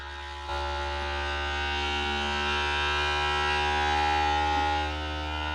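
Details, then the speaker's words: Creality Ender 3 V3 CoreXY 3D printer, new out of the box: loud steady low hum with stacked tones that swells and holds as the printer shakes itself, a strong frame resonance; nasty vibrational mode suspected, probably fine. "sounds like it's got a pretty nasty uh vibrational mode right there but probably be fine"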